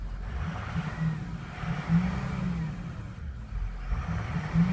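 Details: Ford 6.0 Powerstroke diesel with codes P0404/P1335 and an EGR valve stuck open from a failing EGR cooler. It stumbles when revved until the turbo VGT is commanded to about 40%, then revs up smoothly with the added boost.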